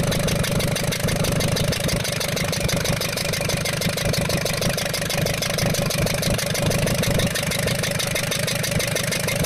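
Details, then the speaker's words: Ashok Leyland Captain 4923 BS4 N4S diesel truck with low pickup and smoke: rapid sharp ticking, about three per second, over idle like a loud injector; valve bridge fell from first rocker from rear, raw diesel leaking from cylinder. "उसकी जो है वाल bridge निकल के सटक के गिर गई थी दोस्तों उसके कारण यह साउंड बन रहा था"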